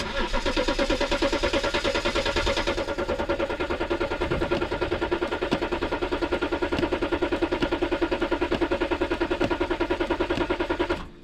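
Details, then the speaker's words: BMW X5 diesel, cold start at about 4°C with damaged glow plug wiring harness: even cranking at about three compression beats a second for ten seconds, never catches; only 4 of 6 glow plugs working, battery warning light stays on. "Non, fait froid. C'est que les bougies de préchauffent. On joue sur 4 au lit de 6. C'est ça le problème."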